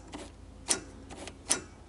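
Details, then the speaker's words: Honda TRX250 ATV, engine off, new throttle cable shortened with hose spacer: two sharp metallic clacks as the throttle snaps shut, slide clanging fully home; throttle slide closing fully. "looks like you can hear it clanging down there so it's closing all the way"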